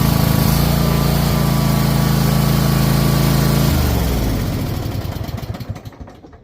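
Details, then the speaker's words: Troy-Bilt Mustang XP zero-turn mower engine with throttle stuck on high: holds a fast, even drone that will not drop toward low idle, then cuts and coasts down; engine stuck at high idle, cause not yet found. "See, the motor won't go, slower. It'll just stay in rabbit or the choke open. So we're trying to see why it won't go idle down."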